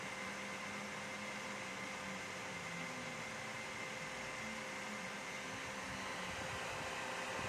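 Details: Dell OptiPlex 3020 desktop: steady loud whirring rush with a constant mid-pitched hum, no speed change; cooling fan running noisy, cause unknown.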